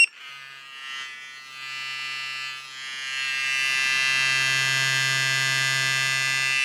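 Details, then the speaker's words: VGR 946 ICE Technology trimmer, brushed 8000 RPM motor: steady high whine with faint airy whir of the small internal cooling fan heard through the vents; even, healthy fan sound. "No sé si a través del micrófono se puede escuchar, pero hay un pequeño ventilador que se escucha ahí dentro."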